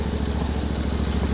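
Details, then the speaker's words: Vehicle in second gear on a long ride: steady engine drone with a constant mid-pitch whine riding on top; owner says the transmission is already whiny and on its way out. "I'm shifting with other punch I know but you guys can hear the transmission it's already pretty whiny so it's on its way out so I'm not too worried about it"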